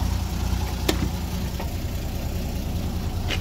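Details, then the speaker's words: 1991 Isuzu FTR dump truck, 6BD1-T turbo diesel, blown muffler cut off, not fully warmed: low steady idle, even rumble with faint clatter, some smoke; runs smoothly. "idle, it's not much different. That sounds pretty good though. Smoky."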